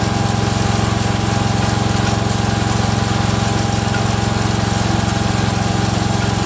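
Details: Freshly rebuilt Kohler single-cylinder engine in a Cub Cadet 102, steady run with a light even click about twice a second; the front pulley is coming apart, not a loose rod.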